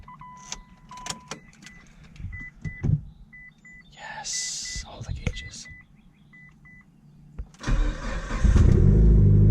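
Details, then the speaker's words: Cold start of a 2005 Mitsubishi Lancer Evolution 8 after fixing its starting and idling issue: warning chimes, brief crank, engine catches and settles into a steady, even idle; AFR around 14, oil pressure 70 psi; normal cold start and idle. "It starts and idles. Ugh. It's so exciting."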